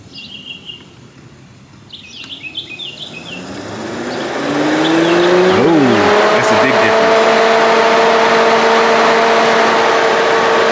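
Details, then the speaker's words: C6 Corvette radiator fan, newly installed Casper fan switch tested before refitting: switched from off to full speed, birds in background, fan spins up over two seconds to a loud steady rush with constant hum; works normally on high. "All right, the off works. Let's turn it on full speed."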